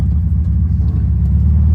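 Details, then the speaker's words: 1972 Volkswagen Beetle with an aftermarket exhaust, driving with the windows rolled down. A deep, loud, steady rumble, all low-end boom with no rattles or pops. A healthy exhaust note. "so this car does have aftermarket exhaust and sitting inside of it with the windows up it's really quiet it sounds really good but as soon as we roll these windows down you can hear this exhaust a whole"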